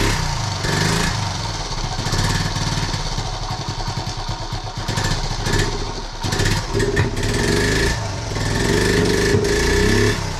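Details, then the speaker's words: 1976 Honda Z50J1 single, cold, on half choke and not started for a couple of weeks: it idles lumpily, pops, splutters and backfires through the carb, and surges and sags as if about to die. Rough running with a stalling tendency. "It pops and splutters a bit and it backfires through the carb. That's it. I've not started this for a couple of weeks. And it just wants to die as well."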